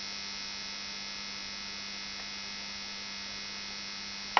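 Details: Onkyo TX-NR709 AV receiver after about 1 hour of running: constant, steady raspy buzz like an electric shaver under everything; electrical buzz, source unknown.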